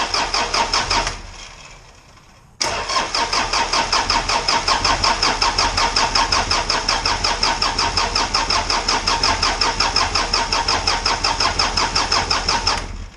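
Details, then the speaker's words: Isuzu 4BD2T diesel on its first crank after the build, before fuel priming: a steady starter whir with even pulses near 170 a minute for about ten seconds, building good oil pressure. The starter had sat long, and the battery is on a 12 amp charge. "okay I think we got it figured out start up and sit so long that it didn't want to engage so I also got a 12 amp charge going into the battery so here we go"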